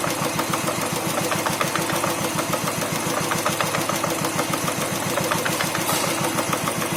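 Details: New Royal Enfield Thunderbird 350X single-cylinder idling: light steady rattle from clutch area, present since new despite repeated service visits; cause unclear.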